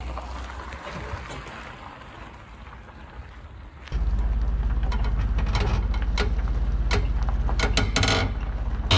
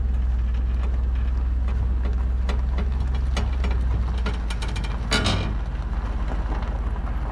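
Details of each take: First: Weight-distribution equalizer hitch on a travel trailer while towing: low rolling rumble with sharp irregular pops and clicks; hitch clunking and popping, cause not confirmed. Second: Trailer weight distribution (equalizer) hitch after its loose bolts were retightened to 75 ft-lb, road dry: steady road rumble with only faint occasional creaks, no groaning or popping; the hitch is now nearly silent, a huge improvement.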